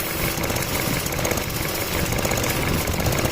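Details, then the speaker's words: Chevrolet Cruze 2015 idling, phone placed underneath: fast, even ticking of the purge valve solenoid cycling normally; at times the damaged valve stays open pulling tank vapors continuously, causing popping noises at the tank. "Ó, agora ela tá trabalhando, ó. Tá vendo que tem um ela tá trabalhando direitinho, mas tem vezes que ela para de fazer esse trabalho e fica só puxando mesmo sem tá batendo a solen aqui para ela abrir e fechar."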